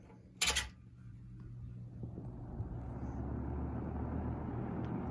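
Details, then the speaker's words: Lakewood S-223 fan running: switch click, smooth whoosh building to speed, soft low hum, no rattle unlike the P-223's motor rattle; slightly louder but healthy. "you can see isn't a little louder than the PT 2 3 but there's no rattle my god I love the sound"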